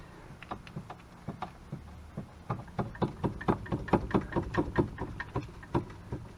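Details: Club Car Precedent golf cart with a popping noise while driving; front end shaken by hand at the shock and upper spindle gives sharp metallic knocks about twice a second from worn bushings, fixed with a front leaf spring bushing kit.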